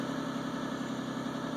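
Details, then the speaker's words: 2001 Isuzu Rodeo after EGR valve cleaning, check engine light still on: steady even hum at a slightly raised speed with no stumbles; idle still a little high. "looks like the uh looks like the idle is still up a little bit"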